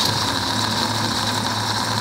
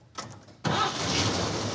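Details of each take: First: 1949 Chevy 3100 truck, vintage straight-six, at idle during a driving test: a steady thin whine rides above the engine, pointing to a worn water pump bearing. Diagnosed as a faulty water pump, to be replaced with a reman pump. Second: 1949 Chevy 3100 truck with a hopped-up vintage Chevy straight six, on a temporary water pump for a test drive: a short crank, then it fires cleanly and holds a steady, smooth run with no misses or ticking. A normal, healthy start-up.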